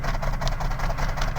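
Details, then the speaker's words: Ford BA Falcon, 390,167 on the clock, left in a paddock 8 years: a deep idle with uneven chuffing and some smoke out the exhaust from a skipping misfire, likely an exhaust valve; rattling underneath from the catalytic converter or exhaust bracket. "so you can hear that chuffing out the exhaust like that there's a bit of smoke as well"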